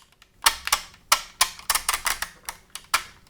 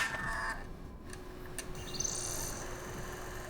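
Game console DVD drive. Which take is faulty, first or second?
first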